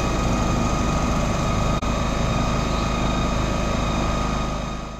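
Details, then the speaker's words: Honda EP1000 petrol portable generator, running without load just after a recoil start with the choke then closed: steady, even engine drone with no knocks or surging; sound level stated as 86 dB. Normal no-load running. "তো এটার sound লেভেলটা আপনাদেরকে শোনালাম। Sound লেভেলটা অনেকটাই কম। এটার sound level হচ্ছে 86 decibel, ঘরের জন্য ঠিকই আছে।"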